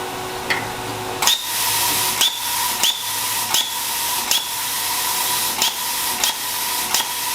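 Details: New plasma cutter on a weak garage outlet sharing a line with 15 other circuits; steady air hiss broken by sharp pops every half to one second as the arc drops out. Owner suspects inadequate power, unconfirmed: arc not sustaining.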